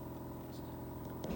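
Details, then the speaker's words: Air source heat pump outdoor unit at the front of the house, ramping up slightly while holding a stable home temperature; low, steady hum with soft whir, no rattles or grinding; normal running. "So yeah, its most efficient use is sort of purring away, and yeah, maintaining a kind of a stable temperature in the home."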